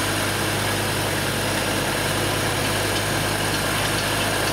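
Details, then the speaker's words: BMW 535i xDrive that ran rough with a hiss from a ruptured PCV diaphragm, after valve cover replacement and a new, registered battery. It now starts without lag and idles steady and smooth with no whistle or miss. Normal idle. "massive massive draw and the crank cane is gone this car is running perfect I don't even have to look at it you sounds smooth"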